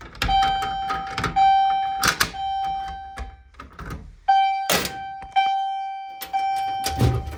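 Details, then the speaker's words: Fire-Lite MRP-2001 panel test: chime set to Temporal pattern rings in groups of three with pauses between groups, slower than continuous mode; standard temporal evacuation pattern working normally, likened to a Dodge chime. "All right, next up, we'll go ahead and do Temporal. It's really interesting. Slows down. So it just sounds kind of weird, but yeah. Let's do this. Sounds like a Dodge chime."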